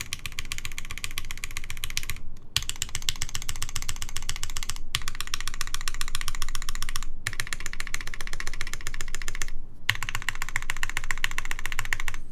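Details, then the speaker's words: Kitsune TKL keyboard prototype, o-ring mount: fast crisp key clicks with a loose rattle, as the too-short pillars leave the plate assembly not fully compressed, so the plate rattles in its mount. "I can hear it. That sounds like a plate rattling in place."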